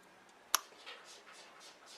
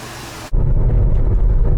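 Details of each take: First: GM 3800 Series II engine just overhauled and installed, start after replacing a sensor: cranks, catches, runs uneven and stumbling before a loud rev; still runs badly, scanner showed cylinder 6 misfire from a non-working injector. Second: GM 3800 Series II engine after overhaul and replacing the dead cylinder 6 injector, about eight or nine days after first start, driven since without problems: catches and settles into a steady, even low rumble with no misfire; runs great.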